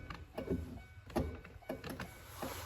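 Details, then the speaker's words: 2005-2013 Corvette C6, driver door, after installing a new window regulator with the door panel on: faint clicks from the motor about every half second with no glass travel. The motor ticks but the regulator does not move. "I mean, it sounds like it's wanting to move. I don't think I have the wires bound up. Just checking inside the track. I wonder if I don't feel anything trying to move. I feel the motor ticking."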